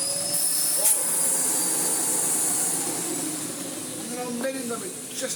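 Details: Restored Miele Blizzard CX1 vacuum running after motor refit: steady high rushing hiss with a thin whistle, even throughout without rattles or surging; motor runs normally.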